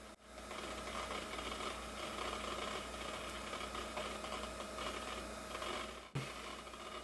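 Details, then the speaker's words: PowerMac 7500 booting after its motherboard was washed: constant whine from the spinning hard drive with raspy, scratchy rubbing underneath, slow boot; the drive does not sound healthy, cause not confirmed. "I guess it does always take this long to boot that hard drive does not sound healthy"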